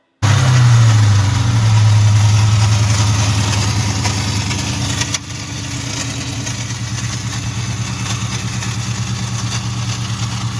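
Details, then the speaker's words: 2001 Ford Mustang GT Bullitt making a horrific noise: a harsh, fast clatter of about three and a half hits a second over the idle. It was first suspected under the valve covers, but it points to a starter pinion not disengaging from the flywheel. "he messaged me and said hey do you know what this sound is the car was making a horrific noise"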